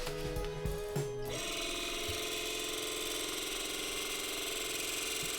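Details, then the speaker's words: Narrowboat's original water pump running: loose, busy rattle with no sign of drawing water; pump not pumping, owners first thought lack of water was the cause. "sounds a bit rattly to me doesn't sound like it's doing much does it doesn't sound very well so the pump that you can hear rattling away in the background is actually the pump that was on this boat when we bought it"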